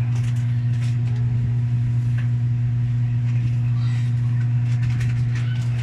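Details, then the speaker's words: Electrolux 8 kg automatic washing machine after repair of a spin that had banged against all sides of the tub: smooth, steady low hum with no thumping or drum banging; normal spin cycle, banging gone. "so Okay na siya wala na ung [Musika] kalabog"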